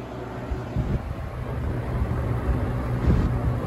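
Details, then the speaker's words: Holmes HABF-20 box fan (Feb 1997), motor cleaned and oiled. A low, uneven hum with a shaky throb: the wobbling blade is out of balance, and the screw on the front guard visibly shakes. "Look at the screw on the front guard, you can see how shaky it is."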